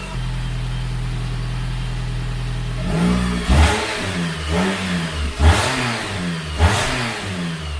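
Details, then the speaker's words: Car at first startup, then a long drive: steady deep even idle, four clean throttle blips rising and settling smoothly with no rasp or rattle; runs well. "so we took it out for a long drive and she is good to go"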